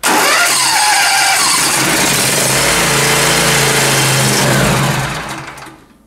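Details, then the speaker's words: John Deere zero-turn cold start test: fires and runs loud about five seconds, then fades and dies; cooling fan air blows the choke vane open, taking choke off too soon. "it's not uh so what's happening there's the fans making up air and it's blowing that little vein open and it's taking the choke off too soon"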